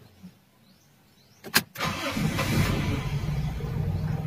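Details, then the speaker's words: Toyota Big Body GLI, starter cranks briefly, engine catches to a low, uneven sagging idle around 400–500 rpm, misfiring and hard starting; cold start not working due to faulty ECT coolant sensor. "Ayan, baba ng minor, bumabagsak. Ang normal mga idol, kung gumagana yung cold start natin, dapat pag pinaandar natin siya ay mataas yung minor niya, nasa 1,000 or kung minsan lagpas 1,000."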